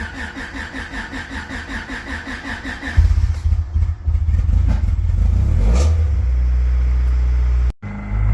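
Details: Honda/Acura after an automatic-to-manual transmission swap, first start once the starter was wired and the clutch pedal bypassed: starter cranks about four beats a second, then catches, revs and settles to a steady idle.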